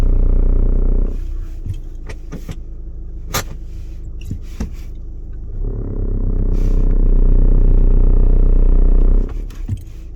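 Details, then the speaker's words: 2013 VW Sportwagon TDI diesel at idle, noise from the driver's-side engine compartment. A deep, steady groan swells about four seconds while letting out the clutch into first, then drops away; groan when engaging clutch. "Okay, the car's making some strange noises somewhere around the engine compartment on the left, or the driver's side. See if I can make it do it. And it usually is happening when I'm engaging the clutch and I'm coming out."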